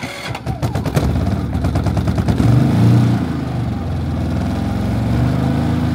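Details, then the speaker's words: New Harbor Freight Predator 3500W inverter generator, pull-started at 6°F on choke: quick chuffs catch at once, settling into a steady, even, very quiet low drone; a clean cold start. "it's running very quiet give it a few seconds theread runs look at it that was a cold start at six switch from the choke to normal see it's running so"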